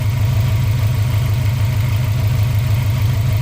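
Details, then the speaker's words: 2003 Subaru WRX 2.0L turbo that started and stalled with no MAF reading, now idling steadily at about four grams per second after removing paper and a spider web from the mass airflow sensor; smooth idle, no stumble. "so i'm gonna let it sit here and run well i think that was our whole issue"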